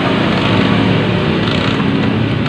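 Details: Yamaha Jupiter MX with a no-compression, gutless-engine complaint: the engine spins over fast and even with no chuffing compression strokes, leaving no compression.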